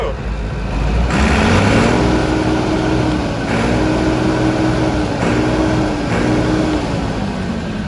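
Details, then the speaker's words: 1980s Massey Ferguson 850 combine harvester, Perkins diesel, 4,600 hours, left sitting for years, started again: deep idle rumble, revving up and settling several times cleanly, sounds like brand new; normal running. "Runs good. It sounds Oh, it sounds like brand new."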